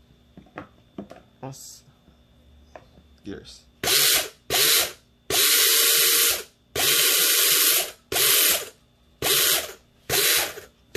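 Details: Airsoft version 3 gearbox with helical gears being shimmed, motor test-run: after handling clicks, repeated one-second bursts of even, high-pitched gear whir with clean stops; gearbox cycles smoothly.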